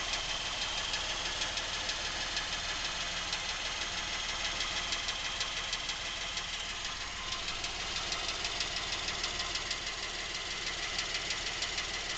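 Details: Nearly new Lincoln MKX, 7,000 miles, quiet idle: fast even ticking knock about three per second throughout, seemingly from the rear of the engine, present since new and worsening; dealer calls it normal, source undetermined.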